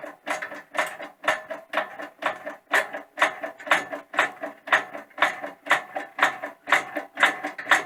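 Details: Vevor 20-ton hydraulic workshop press, pedal pump, after greasing ram and controls, pressing to about 15 tonnes: even strokes about two per second, soft hydraulic swish, no linkage clack; healthy.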